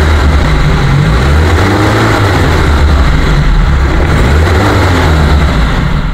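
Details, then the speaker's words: 2001 Suzuki Carry Futura pickup with carbureted engine: steady strong drone with even low rumble, no metallic noise, valve ticking or knock while revving; engine normal and smooth. "ini suara mesin Masih normal masih halus ya"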